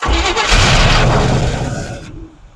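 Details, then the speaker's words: Long-sitting Squarebody utility truck on old, yellowish kerosene-like fuel. A short crank, then it settles to a rough idle with a faint hiss underneath; the owner suspects a vacuum leak but says it runs great without smoking. Hissing at idle after start. "oh I think it's got a vacuum leak somewhere I can hear it it runs great it is really not even smoking"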